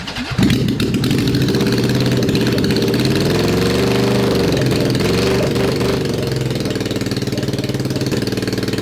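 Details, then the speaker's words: Honda CB750 SOHC four-cylinder swapped into a 1980s Suzuki Quad Sport 230, first start in years on choke: rough, uneven running with irregular popping. Backfire on start, plugs on that side suspected fouled. "i keep getting a backfire of fire and gasoline on my hand"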